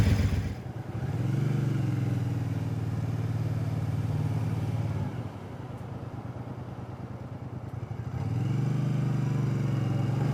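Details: Speedmaster on its first ride with replacement used pipes: an even, mellow note rising smoothly on throttle, no overrun popping or downshift backfire as before; much quieter and smoother; healthy exhaust.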